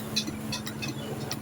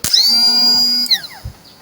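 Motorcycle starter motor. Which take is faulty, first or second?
first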